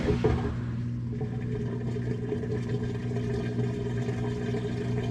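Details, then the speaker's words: Whirlpool washer that makes noise and doesn't wash well, running loaded with clothes, with the panel light blinking: steady low rumble and droning hum with faint sloshing. It sounds like a gear dragging inside; cause not yet confirmed. "Ok, el problema con eso que se estaba escuchando, que se yo, wow, que nomás oía como que estaba arrastrando el engrane de una parte adentro."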